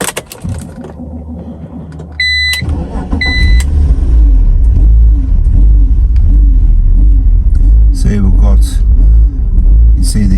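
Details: BMW Z4 (E85/E86) petrol engine: two warning chimes, then the idle swings up and down instead of holding steady, with ABS and steering angle sensor lights on; the throttle position sensor reads a fixed 15%.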